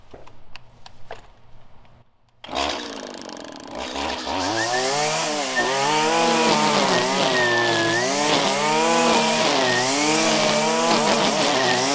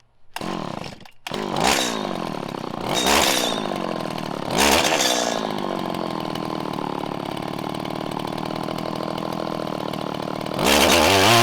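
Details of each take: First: 1997 Stihl Pro Series FS two-stroke trimmer cutting grass at full throttle: crisp high wail dips and recovers smoothly as the line bites, clean strong running under load; normal full-throttle running. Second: 1997 Stihl Pro Series FS two-stroke trimmer during carb tuning: with the low-speed screw too lean, throttle blips stumble and hang before climbing, then it revs out with a burbly, uneven four-stroking top end after backing out.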